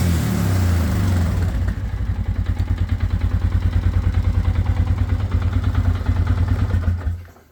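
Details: Scrambler engine started after brake pad replacement and brake bleeding, having sat since the Tar Hollow ride (owner suspects gunk in the carburetor); catches and settles into an even, steady thump of about three beats a second with no knocks or misses; normal idle.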